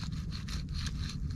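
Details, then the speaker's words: Worn front hub bearing on a 1989 Chevy K1500 Silverado (GMT400), turned by hand: rough, gritty rasping in short strokes, grinding and not turning all the way; hub is being replaced. "let me show you what a bad hub bearing looks like up close should not hear it grinding won't even turn all the way"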